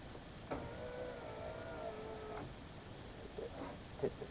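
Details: 2011–2012 Subaru Legacy power window after replacing cable-driven window motor/regulator assembly (was stuck up): smooth steady motor hum about two seconds with clean stops at each end; normal operation.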